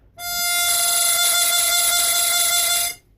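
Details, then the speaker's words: Chromatic 64 harmonica, cross-tuned, before repair: held draw note with a fast fluttering waver throughout ("motorboating"), the windsaver being sucked in and popping back; very common windsaver flutter fault. "wanted to show you a very common fault with Windsavers that do drive people nuts. I'm going to demonstrate it here."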